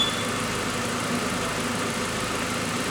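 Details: 2003 VW Passat 1.8 turbo with a P0011 camshaft timing code, idling after the VVT chain tensioner was replaced (rough at first, owner suspects oil in a cylinder): even, steady idle, smooth hum, no knocks, misses or rattles; sounds healthy.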